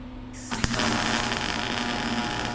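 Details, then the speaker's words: Welding machine given to the owner and never used before, MIG welding window cages; steady loud buzzing hum with constant sizzling crackle once the arc strikes, wire feed seems very fast and the welder is unusually noisy. "Yeah, that seems extremely fast. Man, that thing makes some crazy noise."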